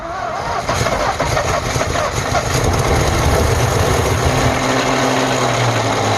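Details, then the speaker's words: 1948 Ford F5 bus abandoned 25 years: slow uneven cranking chuffs about four seconds, then catches into a steady low rumble with smoke; owner suspects a weak battery for the slow cranking. Long cranking before first start. "I don't know why it's cranking so slow. I might need to get a new battery on this thing. It's gonna go any moment now."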